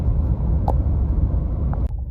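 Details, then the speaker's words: 2022 Nissan Titan V8 running with the fan clutch disengaged: steady, even low exhaust rumble with no fan roar or roughness, normal sound when the fan is not stuck; the failed fan clutch sometimes stays locked. "but the point of this video is to show what the truck sounds like when the fan is not stuck so here we go [Music] and that's perfectly fine in what it should do and what it should sound"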